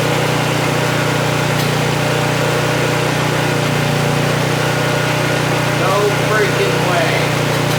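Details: Vintage Honda EG1400Z generator, an auction find that would not run, restarted without choke before metering its output; a steady, even low drone from the small single-cylinder engine with no misses or surging, idling normally.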